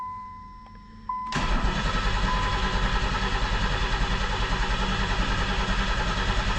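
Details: 1990 Pontiac 6000 SE AWD, sitting 20+ years, new battery, ignition module fitted, oil changed: dash chime then steady cranking about 200 rpm, never catching; no RPM signal while cranking, owner suspects bad crankshaft sensor; oil pressure present.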